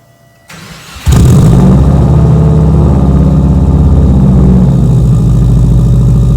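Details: Subaru Forester with Cobb 3-port boost solenoid, cold start then rough lumpy idle: loose irregular knocking of the intake rattling, later fixed.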